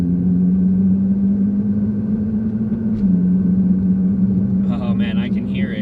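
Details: Nissan GTR after hard drag-strip launches, cruising: a steady engine drone wavers and dips as the tach needle hunts without a throttle change. The transmission is slipping and needs a rebuild.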